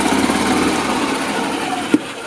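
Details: 2008 Yamaha Drive G29 gas golf cart with a no-start complaint caused by a loose battery terminal: the single-cylinder engine chugs steadily, then a sharp click and it fades. It runs normally once the twisted terminal connection holds.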